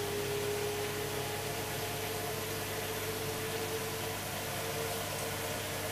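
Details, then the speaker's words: Hoover Dynamic DXCC69IB3 9 kg 1600 rpm washing machine, final spin near cycle end reaching full speed: only steady even water whoosh with faint constant hum, no knocking or banging; quiet, healthy washer. "the drum itself is making barely any noise at all as you can see starting to spin at full speed now"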